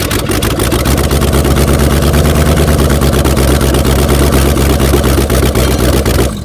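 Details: 1994 Chevy C1500 Silverado 4x4, 350 V8 with aluminum heads, small cam, running with no headers or manifolds after adding timing; loud raw uneven crackle and lopey idle; may still need another degree or two of advance.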